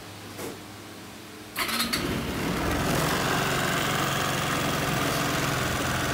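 After a quiet moment the engine catches and settles into a steady, even run with no knocks, rattles or grinding from the drive.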